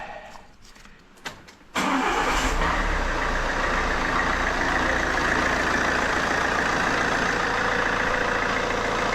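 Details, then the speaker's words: Fiat Doblo 1.6 Multijet diesel after an oil and filter change, with noisy top mounts suspected earlier: a short crank, then an even diesel idle clatter with no knocks or squeals. The earlier noise is gone. "Sounds fine. Well, first of all, can we hear the noise? [Applause] So, the noise is gone."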